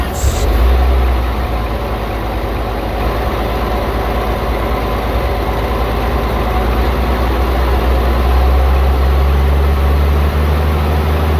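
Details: 1952 Chevrolet 4400 truck, Stovebolt six, idling after fresh oil fill (oil pressure much improved), before ear-tuning the distributor timing and setting the carburetor; owner feels timing seems a little off. Deep, even idle with steady low beat, no misses or knocks.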